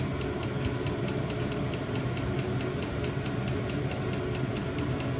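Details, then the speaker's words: New diesel heater replacing old petrol heater in VW T25 Westfalia, first startup after E10 errors in cold January; steady low burner rumble with light regular fuel pump tick, running normally. "I think we got something now. Sounds like it's about to take off."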